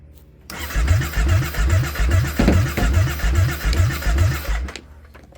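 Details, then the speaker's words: 2014 Kawasaki Brute Force 750 fuel-injected V-twin ATV with a no-start: steady starter cranking at about two and a half turns a second, no firing and no fuel pump prime hum. Crank no start. "No fuel pump prime."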